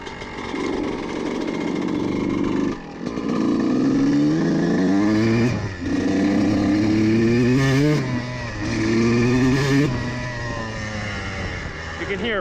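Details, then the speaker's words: CR125 two-stroke with the needle clip in the richest position, ridden at about half throttle through the gears. The engine pulls but keeps stumbling and cutting out in the midrange, showing it runs too rich on the needle. "le milieu de gamme là, il est un peu de découpage qui est juste là où cette aiguille serait affectant"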